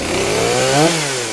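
Saw catches and revs up in one sharp rising howl, then settles back to a steady buzz; clean start on second choke, healthy.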